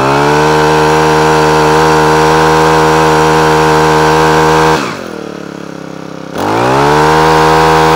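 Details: Honda HHH25 trimmer after carburetor clean, previously cutting out at full revs: steady high-revving buzz holds evenly, dips briefly as throttle eases, picks back up without cutting out; running properly, oil seems overfilled.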